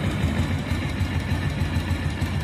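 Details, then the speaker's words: Motorcycle after a light cam chain tensioner adjustment: low, even idle thump with no head ticking; head, camshaft and rocker arms fine, tensioner still needs replacing; normal idle. "அப்போ இந்த வண்டியில் head, noise, game shaft, ரேக்கராம் எல்லாமே நல்லா தான் இருக்குது."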